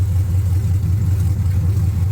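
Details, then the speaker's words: 1979 Camaro LS-swapped V8, restarted after reading and clearing codes, 158 degrees, no exhaust pipe yet: deep steady rumble with even low beat, no knocks or misses; healthy smooth idle. "But shut it off and start it up. There we go. Perfecto now."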